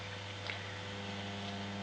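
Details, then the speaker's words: Handmade planet clock, US mains version, single motor driving ring and planet rotation: steady low electrical hum with a buzzy edge from the motor vibrating; maker plans to fix it. "just that the the motor is vibrating and causing a lot of you know a lot of um sense from it but I will try and sort that out as well because it doesn't sound very good"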